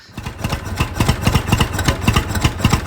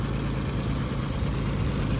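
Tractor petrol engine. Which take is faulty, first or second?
first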